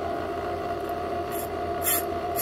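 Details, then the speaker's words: Brake drum on a brake lathe with fresh sharp bits, first light touch to find the lip before the cut: steady lathe hum with short bright scrapes about every half second; normal first contact. "hear it scraping see the dirt flying then you're gonna just make a pass and get that edge off"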